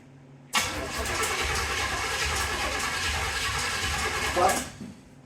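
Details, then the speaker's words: 1931 Ford Model A Coupe hot rod, carburetor swapped back on, first start attempt: starter churns steadily about four seconds, engine turns over but never fires. "turn the key on just crank it don't touch anything just crank"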